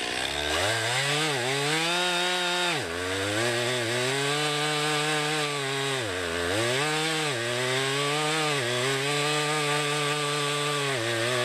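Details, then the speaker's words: 2020 Stihl MS261, non-M-Tronic carbureted, 20-inch bar, cutting a poplar log about 1.5 ft across with a straight cut and plunge cut: high steady scream sags as the chain bites and recovers between cuts; normal cutting under load. "i'm gonna cut it off i'm going to cut straight down for a little bit and i'm going to do a plunge cut"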